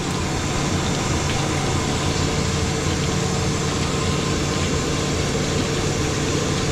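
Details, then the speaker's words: Water park filter pump restarting after an extended shutdown, pipe not yet full of water: loud, steady motor drone with a churning rush that doesn't settle; struggling to prime, possibly air-locked. "We need to make this, we have to get to a point where there's water completely filling this pipe, okay? Because if not, it won't coat. Come on now. Might be stuck in a little air spill."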